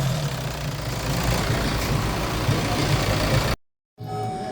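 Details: 2014 Hyundai Santa Fe push-start that had a no-crank no-start with lost communication, now running after repair: steady, even low idle with smooth rumble, no misses or knocks; normal idle.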